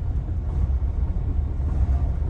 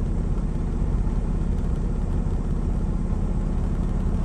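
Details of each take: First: Diesel truck at regular idle, fault code SPN 1328 FMI 31: deep uneven lumpy rumble, misfire that smooths out at higher rpm; low compression on cylinders 4, 5 and 6, improved by valve adjustment, not a bad injector. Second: Diesel truck with low compression in cylinders 4–6, after valve adjustment, air filter off: smooth, even idle with audible turbo whine; runs much better than before.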